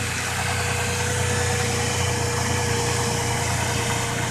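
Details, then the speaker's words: Truck with suspected lifter tapping, about four days after adding Marvel Mystery Oil before oil change; steady even idle, smooth low rumble, no ticking or tapping; normal idle. "definitely a lot better"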